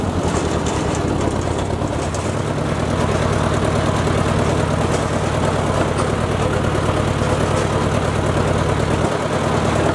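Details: Ford Jubilee tractor under mowing load through the PTO after a carburetor swap: steady, even drone holding speed with no stumbles or misses. Pulls cleanly and no longer stalls under load as it did before; the carb still needs tuning.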